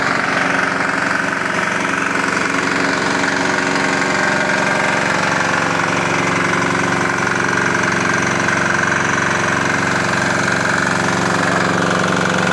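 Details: Swan SVU202 air compressor with a 170F 6 hp diesel engine (captioned as 2 hp), recoil start, 225 L/min, 85 L tank, throttle being turned down: steady single-cylinder diesel clatter at about four beats a second, even and unbroken; normal running.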